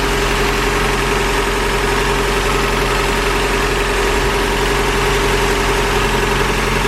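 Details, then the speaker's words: 1986 first-gen Toyota 4Runner 22RE four-cylinder at idle after fixing a broken exhaust Y-pipe leak (bolts torqued to 33 ft-lb); steady, even, quiet idle with smooth hum, no leaky puffing or ticking, far better than before, little exhaust smell. "so yeah I mean if you remember what it sounded like before here's a clip of that this is way better and I don't really smell too much exhaust"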